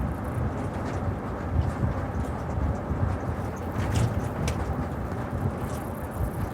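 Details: 2004 Ford Expedition, over 190,000 miles: test drive on the same rough road after replacing the rear lift glass weatherstrip; steady road rumble and tire hum, no buzzing or tapping from the rear glass, quiet and solid; rattle gone.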